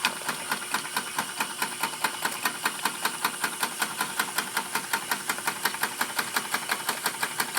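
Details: Small alcohol-fired horizontal mill stationary steam engine model with generator, fully warmed up: crisp, even exhaust chuffs nearly three per second over light mechanical clatter; running smoothly and healthy.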